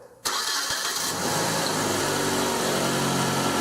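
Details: 1996 Nissan Altima 2.4L, first start after refitting the distributor and a new valve cover gasket to fix an oil leak: short crank, catches at once into a smooth, even idle with no misses or knocks; healthy.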